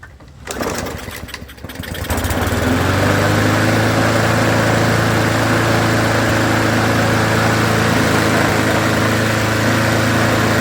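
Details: $40 roadside lawnmower that leaked fuel and surged, restarted after carburetor fix drilling the jet hole one size up: catches after a couple of pulls and runs steady and even with no hunting or surging; normal running, repair successful.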